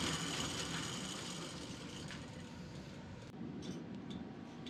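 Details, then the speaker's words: Old chain-driven snow blower after new fuel line and clamp, idle plus low- and high-speed mixture adjustments; previously wouldn't run, now not leaking fuel; steady engine with loose clattering from worn spinning parts but even beat, running good. "Alright, that's actually running pretty good, even though it sounds like hell. The reason it sounds like hell is because all these spinning parts moving around and that, and they're pretty beat up."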